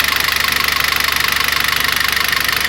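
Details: Citroën C4 2.0 at idle. Fast, even, light metallic ticking over a steady idle; oil pressure, oil pump or the camshaft hydraulic lifters had been suspected.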